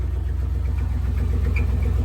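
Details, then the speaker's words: Truck engine after mudding on 44-inch Boggers, the crank binding at one point in its rotation: a heavy, rapid, uneven thump under idle; severe internal knock. A bent crank or damaged cylinder walls is suspected, with slight smoke. "He's turning. Your crank's locked. Oh yeah, it's done. It's done for. He needs a motor anyway. That sounds so bad."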